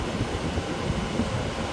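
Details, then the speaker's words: 8000 BTU Frigidaire window air conditioner, after a deep clean and water wash that removed the mold, fan in auto mode: steady low whoosh of air with a soft, even fan hum and no rubbing or rattle; fan running smoothly. "And it's blowing. And all that mold that was there is gone."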